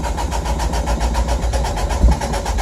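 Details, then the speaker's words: Roshi, a 4AG-engined car, starts in neutral after a new alternator belt fitted (old belt failed at autocross); engine catches from cranking and settles into a steady pulsing idle with no belt squeal or slip; starts and runs fine. "Alright, sounds like, as you guys can hear, that he is alive."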